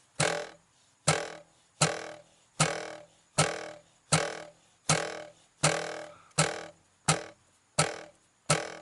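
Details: Shelby GT350 (S550 Mustang) dash, before fix: repeated sharp taps ring with hollow buzzy resonance from a loose audio module whose tab wasn't seated in its slot.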